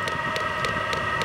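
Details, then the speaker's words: VEVOR 27,200 BTU diesel air heater (12/24 V) on first startup: crisp, evenly spaced fuel-pump ticks at about 3.5 per second over a steady fan hum as it settles into normal running. "this thing runs on either 12 volts or 24 volt it doesn't care sounds like it's getting going now"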